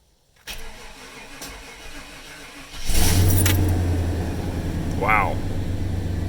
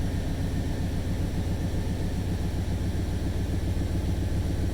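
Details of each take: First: 1995 Chevy Suburban, first start after a cylinder head rebuild, timing not yet set: a short crank catches almost immediately and settles into a steady, even low idle with no misses, plus a known exhaust leak. Normal start and idle. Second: 1995 Chevy Suburban V8, first start after a head rebuild, timing not yet set: smooth, even idle with a faint quick puffing tick riding the firing rhythm. It is a known exhaust leak, to be fixed first.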